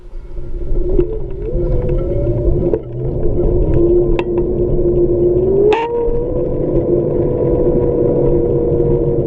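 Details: Xiaomi M365 scooter hub motor: a wavering hum that rises with speed plus occasional sharp clicks; strange, abnormal motor noise, cause unclear.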